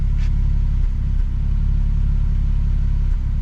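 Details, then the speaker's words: Nissan 370Z V6 after new valve cover gaskets and spark plugs: idles with uneven, lumpy beat and a stumble every few seconds; still misfiring at idle, cause not found. "not sure you can hear that but this [ __ ] is misfiring"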